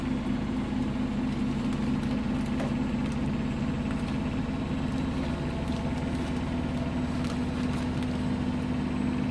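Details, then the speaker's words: Biasi Riva HE boiler with a flashing red light: steady fan hum with a rough, bubbling flutter as the fan blows through water trapped in the recuperator. Cause is a blocked condensate line, confirmed when water dripped out on release. "see got tripping now so we could hear that noise that's why we could he that noise before that was a water inside here the fan trying to blow through the C recuperator"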